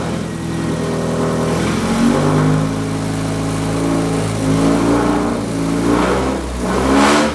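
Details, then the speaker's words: Budget rat rod truck after radiator leak repair, warm engine started with a little throttle and no choke: steady, somewhat noisy idle with smooth even revs on throttle blips; runs well, no more leaks. "well then she starts easy she runs okay and there's nothing falling out anymore no more leaks"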